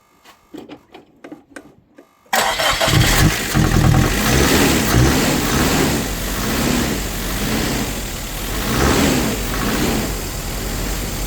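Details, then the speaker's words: Nissan S13 200SX Turbo abandoned for years, first start: fires after about two seconds of cranking, then surges and sags unevenly instead of settling; rough running, cause unclear, no oil pressure noted. "Come on! Oh, it's running bad."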